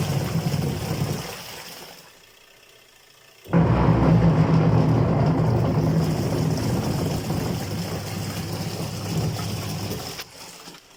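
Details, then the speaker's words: Washing machine with a faulty gearbox, which also drips water onto the motor: when started it gives a loud, steady low rumble with a rough churning beat of about four a second. The gearbox is to be replaced. "هذا الصوت المزعج اللي يطلع."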